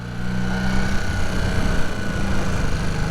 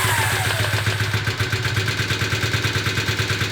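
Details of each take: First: Rebuilt 1981 Honda CB250 Super Dream twin, barn find: holds a fast, steady idle that hangs and won't drop back; owner suspects unbalanced carbs or a part loosened by vibration, fuel starvation ruled out; cause not confirmed. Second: Rebuilt 1981 Honda CB250 Super Dream twin after balancing carbs with a Carb Tune Pro: even, steady idle set at 1000 rpm, both cylinders firing smoothly with no misses or hunting; carbs balanced.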